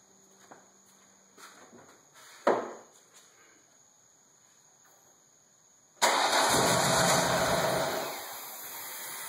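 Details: Ford Escort ZX2 with SVT Focus engine swap, timing freshly done, no fuel leaks: after a few light clicks, starter spins the engine at a steady even rate but it never fires; crank, no start.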